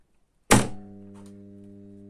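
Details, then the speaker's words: Electromagnetic PME-series contactor after repair of its loud hum: coil pulls in with one sharp clack, then a quiet steady slight hum, no buzz or chatter; normal pull-in, contactor fit for further use. "смотрим вот катушка втягивается ещё раз"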